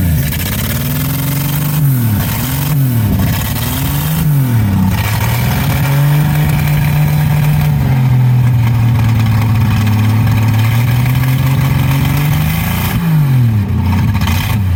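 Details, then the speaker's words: 1963 Plymouth Valiant slant six revved in blips: revs surge and sag with a stumbling, blubbering note, billowing fuel smoke as with every fuel system tried; rich misfire from clogged carburettor air bleeds, plugs likely fouled. "It sounds horrible. It's billowing fuel smoke. That's what it's always done with every single fuel system."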